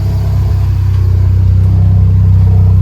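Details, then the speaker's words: Mini Cooper R50 on jack stands after fitting a cheap aftermarket exhaust with new gasket: smooth deep even idle, slight vibrating wobble, no puffing or hissing; exhaust quiet with no leaks. "All right, so that's the sound of the exhaust. Bit of a vibrating wobble. This stuff is obviously on jack stands. But realistically, that exhaust is nice and quiet for a cheap £67 eBay exhaust."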